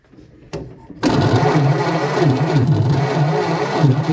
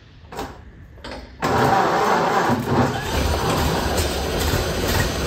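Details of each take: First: 1928 Ford Model A engine after sitting a very long time: steady starter churn about three compressions a second, no firing, after cleaning corroded points; still no spark, so another problem remains. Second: 1928 Ford Model A engine, sitting a very long time, first start on gravity-fed fuel to the carburetor: brief crank, then catches and settles into a steady, even low beat; running fine.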